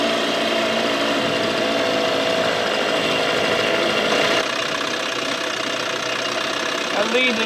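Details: 1987 Johnson 6 hp two-stroke outboard on the water after carburetor swapped to fix bogging; steady, fairly quiet buzz with no surging or bogging; motor sounds healthy.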